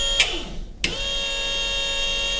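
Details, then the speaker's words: Electric MR2 power steering pump being installed in an RX-7, bench-triggered through a grounded 120 amp relay: a couple of clicks then steady even high whine; pump runs normally. "Yep, that is working."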